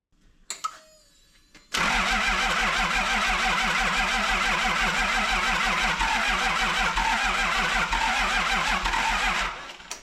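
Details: Toyota 2H diesel from an HJ47 parts wreck, of unknown history, after the injection pump rack that was stuck closed was freed; catches at once and settles into a steady, even clatter of about three beats a second; healthy.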